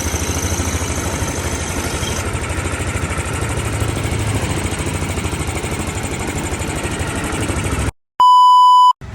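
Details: Yamaha Aerox 155 scooter single ticking over at a steady, even idle after disassembly work, no tapping or rattle from the top end; owner had complained of a clicking engine noise; normal idle.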